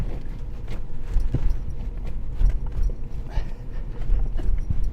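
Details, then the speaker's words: 2009 Ford Ranger with a 4.0 L V6 and manual transmission, shifting very hard. Irregular heavy thuds and clunks as reverse is forced in, because the clutch isn't fully releasing. Hard gear engagement from low clutch fluid. "you can hear and feel I think that's in fourth yeah reverse it's not totally impossible to drive this vehicle it's just extremely difficult"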